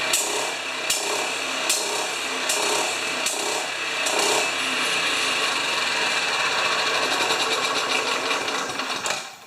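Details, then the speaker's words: Honda HRA214 self-propelled choke-start mower, previously worked on, after fixing choke and throttle linkage; engine hunts up and down about once a second with sharp pitch rises; owner unsure of fuel mixture, surging. "So that's the nastiest surge I've seen. Darn it. I don't know if it's getting too much fuel or not enough"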